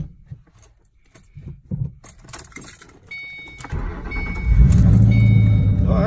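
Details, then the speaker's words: 2007 Mustang GT V8, first startup after loading Bama SCT tune, normally hesitant to start: keys rattle, catches quickly, settles into deep, steady, even idle with no stumble; smoother and more aggressive, normal start. "actually fired up pretty good that time. Sound pretty smooth and more aggressive. I like that."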